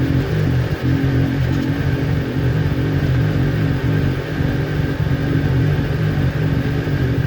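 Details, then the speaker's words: Newly built Kawasaki Ninja twin that bogged and stalled when warm, after ignition coil pack replacement: deep, even idle with no misses, consistent past the usual warm-up problem temperature; both cylinders reading about 258 °C. "Alright guys, if you have a look here, right guys, like you can see, the idle is consistent now. The temperature has gone way past its normal problem area."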